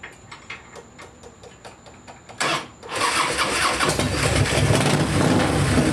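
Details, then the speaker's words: Harley-Davidson V-twin after wire harness repair, its sticking starter relay tapped to start: clicks, then it catches and settles into a steady, lumpy idle with throttle blips; all controls work and it sounds good. Floats still sticking, gas apparently from overflow. "Sounds good though, right? All the controls work, man."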